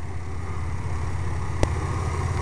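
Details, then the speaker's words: GMC truck idling on wood gas from a homemade gasifier, wood gas valve fully open and air valve adjusted for mixture: an even, low, steady idle with no misses or surging that sounds like gasoline running; owner unsure whether the mixture is too lean. "so far it is actually just sitting here running it sounds like it's running on gasoline"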